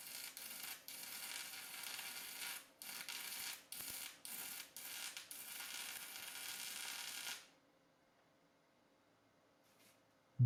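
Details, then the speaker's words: Cheap Amazon multi-process welder, stick welding 6011 rod: sputtering arc crackle breaks off about six times in seven seconds before going quiet; erratic arc, machine judged unable to run 6011. "that doesn't sound right at all. I'll turn it up to 80. All right, I'm going to call that a no-go for 6011."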